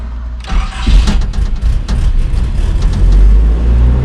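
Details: Nissan D21 flatbed truck, sat five years, cranked with brake cleaner sprayed in: catches and revs briefly without running on its own; it has spark, ignition and timing fine, so suspect no fuel from the pump.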